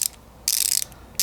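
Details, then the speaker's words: Tekton folding ratchet with a 10 mm Snap-on wrap socket, swung in tightening mode: two bursts of rapid, fine, even clicking, pawl catching cleanly, normal ratchet action. "and with the socket there and that's how it sounds like when it's on its tightening mode"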